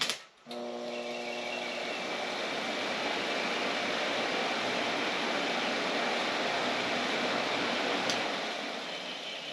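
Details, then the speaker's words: Two-speed electric cooling fan for a 1931 Model A coupe hot rod with Ford 2.3L, bench-tested off a battery charger, yellow wire thought high speed: after a brief pause it spins up to a steady, even whoosh with a faint hum; fan runs normally on high speed. "I think orange is low speed and yellow is high speed. Yeah, it's a 2-speed fan. That's kind of cool. Never had one of those before."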